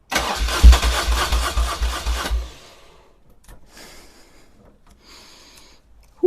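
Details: 1978 BMW R100S airhead boxer twin, first start attempt after sitting several years, oil full, plugs cleaned: about two seconds of steady, even starter cranking, then silence; the engine cranks but never fires, a no-start.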